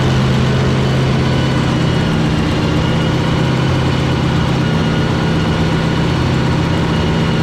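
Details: Fountain 42 offshore racing powerboat with twin 9-litre engines, started after racing and a fresh-water flush while a misfire is being investigated. Deep steady low rumble with an even beat and no misses or knocks; sounding pretty right, normal idle.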